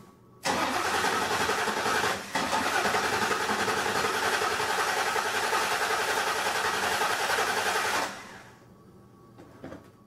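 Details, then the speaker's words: Engine cranked by jumping the starter directly while measuring starter current with amp probe on oscilloscope: about seven seconds at roughly three and a half even pulses per second, no weak beats; relative compression equal across cylinders. "now this is a actually really good compression to motor as far as being equal"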